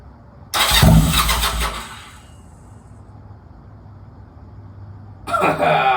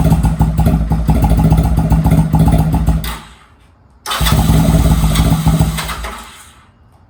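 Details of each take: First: Honda Rebel 250 first start after sitting 27 years, in neutral with full choke: two bursts of fast rhythmic starter cranking, engine trying but not catching. Owner thinks fuel needs to get through the carb; it started shortly after. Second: Honda Rebel 250 first start in 27 years, in neutral with choke fully up: catches after cranking and runs in rough uneven bursts of a few seconds, still getting fuel through, but no engine noise; sounds healthy.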